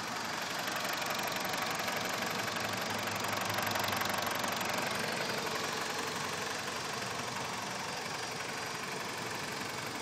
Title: BMW e46 ticking noise